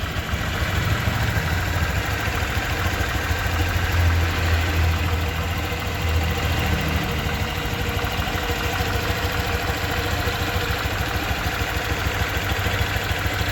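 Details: 2023 Honda Vario 125 new scooter at just over 1,000 km, idling: smooth, even low thrum at steady speed, no knocks or rattles; owner reckons it runs smoother than at 500 km, crediting correct break-in. Normal idle.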